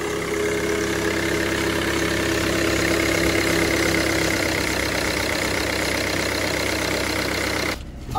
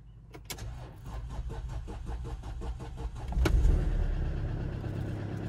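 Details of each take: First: Mercedes W204 C220 CDI, tuned OM651 diesel, after a boost leak repair that had caused limp mode: steady, even idle with light regular clatter and no hiss or whistle. Check engine light gone, no leaks seen under the car. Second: Mercedes W204 C220 CDI, tuned OM651 diesel, first start after brake work and coolant bleed, stood a while: about three seconds of steady cranking before catching and settling; sluggish start, owner suspects battery drained by roof lights.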